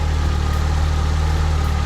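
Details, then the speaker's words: Nissan 240SX KA24DE after correcting swapped cylinder 2 and 3 plug wires, following timing chain tick repair: a smooth, steady low idle with no ticking or shaking while warming up before the thermostat opens. Normal idle. "That sounds way better. All right, the motor's not shaking. That was insane."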